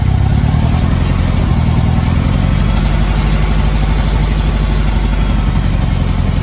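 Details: 1990 Mitsubishi Mighty Max at operating temperature on old spark plugs, before Sea Foam through the brake booster vacuum line: rough, choppy idle with an uneven low rumble and stumbling beats; engine misfire at idle.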